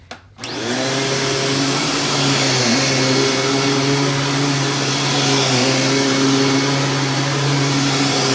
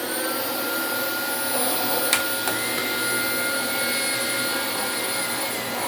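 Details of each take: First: Dyson DC25 vacuum running with its filter refitted. A steady, strong motor hum and a smooth brush-roll whirr dip slightly under load and recover. The brush roll agitates well; normal running. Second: Dyson DC25 upright vacuum running: a steady high roar with a thin whistle and faint gear whirr from the brush drive. The small and large brush-roll cogs are dry and were not greased, giving dry gear noise.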